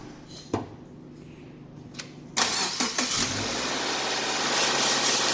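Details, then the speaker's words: Subaru (XV/Impreza/Forester/Outback) cold start after replacing the bad timing chain tensioner that caused chain rattle: engine cranks briefly, catches and settles into a smooth, even idle with no rattle or knock. "you can see the engine running perfectly smooth no more noise that's it"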